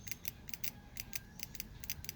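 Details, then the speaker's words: Ford Ranger (1999–2001) fuel injector pulse-tested on the bench, apparent misfire on cylinder 3: crisp little clicks as it opens and closes, meaning this injector works electrically. "Se escucha un pequeño golpecito de que abre y cierra, quiere decir que este inyector sí está sirviendo."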